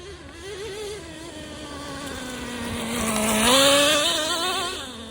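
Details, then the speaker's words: Traxxas Nitro Slash, neglected over a year, no after-run oil, carb boot intact, untuned, first tank of fuel, driving: high buzzing engine holds a steady wail, swells in pitch and settles back, pulling cleanly and evenly. "I haven't tuned it or anything. I just fired it up and I'm just running."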